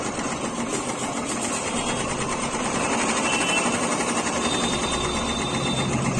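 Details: Royal Enfield Bullet BS4 single-cylinder idling: fast light tick-tick over the busy idle from the cylinder head, tappet noise from excess valve clearance.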